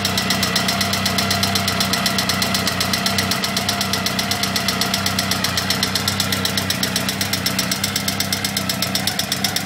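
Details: Honda CBR1000F SC21 at idle: a fast, even metallic ticking, about four a second, over the engine note. The owner says the timing chain is fine and asks which cam chain tensioner is defective. Cause suspected, not confirmed.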